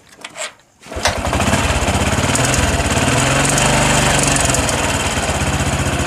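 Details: Honda Supra X 125 PGM-FI with ignition-switch fault, battery 11.5 V, testing with regulator/rectifier bypass: fires after a second and settles into a steady, even single-cylinder idle, no stumbling or rattles; running normally.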